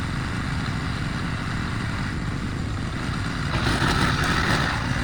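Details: Probably early-to-mid-2000s Craftsman brush mower revived after 3 idle years (carburetor rebuild, air filter, spark plug, oil, strings): flathead single pulls steadily, note deepening and louder as it bites tall grass, never stumbling; healthy under load.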